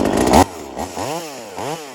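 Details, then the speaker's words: V-Modest 2511 top-handle chainsaw, Echo 2511 clone, high-speed jet adjusted toward about 12,000 rpm with tachometer: crisp, clean scream at full throttle dropping cleanly to idle with quick blips; normal high-speed run. "That's the way it sounds. It's good to tune by ear and one of these guys."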